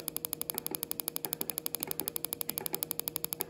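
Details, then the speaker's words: Coil-on-plug on a bench test driven by a signal generator at 10% duty cycle: rapid, crisp, evenly spaced snapping ticks with a sharp crack each, considerably more intense than at low dwell; normal strong spark. "you can see it's considerably more intense that's 10% JY cycle there"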